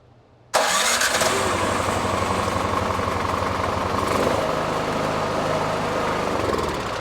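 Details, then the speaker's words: Craftsman 26-inch snow thrower with a 270-QU engine that had sat for years: it catches and runs steadily with an even putter, but only on choke, and shuts down when the choke is off. This is a carburetor fault, not yet fixed. "okay so that's it and we still have a carburetor problem because it'll only run on choke which is over here"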